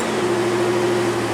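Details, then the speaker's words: 2000 Toyota 4Runner (3rd gen), first start after the battery was disconnected to install a Performance Chip Revamp; the truck had not been started in about two weeks. Steady raised hum with a faint fixed tone, no stumbling or ticks; idling high while relearning, otherwise fine. "Since I disconnected my battery, everything's gonna take a minute to reset, to include the clock. All right, here we go. We're gonna fire it up."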